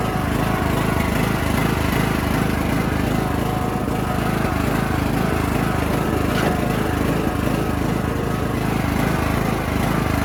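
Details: Bolens riding mower single-cylinder after carb cleaning (diesel had been put in), throttle raised: loud, coarse chuffing rattle over the beat; exhaust leak suspected; mower then would not move, belt misrouted.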